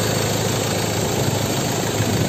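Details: 2016 Ford Ranger XLT 2.2 diesel, manual, 4WD, at idle: steady even diesel clatter with no knocks or misses, a smooth-running engine.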